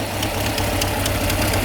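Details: Peugeot 205 (CTI/GTI), original engine, idling after starter refit: steady idle with light sharp ticking clatter about four a second, diesel-like; owner cannot locate the source, plans mechanic visit.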